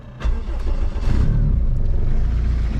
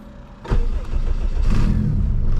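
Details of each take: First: Turbo K20 AWD Honda Civic wagon after retightening the exhaust bolts, all four of which had come loose, leaking and melting an oil line: it starts and settles into a steady deep rumble with no puffing or ticking. The engine rocks on its mounts; no more exhaust leaks. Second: Turbo K20 AWD Civic wagon, engine started and settling to a fast idle: a raspy puffing hiss over a low rumble from a massive exhaust leak, suspected at the downpipe on the turbo side, with no visible cracks.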